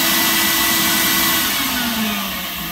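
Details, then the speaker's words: Dust collector running. Loud, steady, high-pitched rushing roar with an even tone that settles slightly lower; runs smoothly: normal running. "i left the uh dust collector on just to let you hear it but pretty loud"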